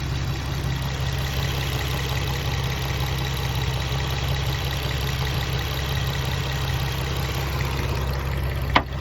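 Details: Infiniti G35 petrol engine idling with a busy, fast rattle/knock over its low hum, getting more intense when revved; oil change didn't help, cause unknown.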